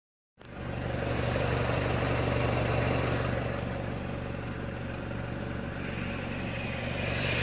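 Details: 2006 NC Miata Limited Edition idling with the clutch pedal held in, a rough gritty grind over the hum; release bearing suspected failed again, this time with a Flyin' Miata clutch kit.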